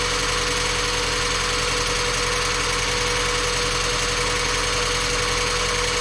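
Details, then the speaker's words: Mazda Miata after timing belt, water pump, pulleys, serpentine belts and valve seals replaced, engine not yet fully warm: steady even idle with low pulse and constant hiss, no knocks or misses; normal idle, runs perfect. "this thing ran perfect it wasn't quite enough time for it to get hot"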